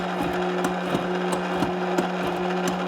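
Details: Kenmore refrigerator ice dispenser: steady motor hum with irregular clicks but no ice falling into the cup; ice buildup was later found in the ice container area.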